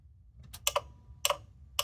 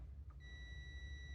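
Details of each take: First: 1989 Ford F-350 7.3L IDI diesel, key on, engine off, all eight glow plugs reconnected and batteries reconnected: glow plug relay clicks rapidly in pairs, about two a second; controller may reject plug resistance, or logic board suspected failed. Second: 1989 Ford F-350 7.3L IDI diesel glow plug system test: multimeter continuity check gives a steady high-pitched beep reading 3 ohms, showing the circuit was still grounding somewhere.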